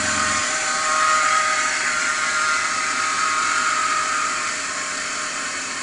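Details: BMW E39 525i: thin, wavering high chirp over steady engine hum, warbling in and out; defective idle pulley.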